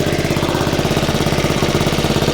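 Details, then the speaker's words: Honda Forza 125 scooter after starter-alternator replacement, engine warning light on: sharp, fast puffing chuffs on every firing pulse at idle; exhaust leak from a sizeable hole in the exhaust at the O2 sensor. "Maybe not. Yeah, he's got an exhaust leak. Yeah, got a hole in the exhaust for good measure right there."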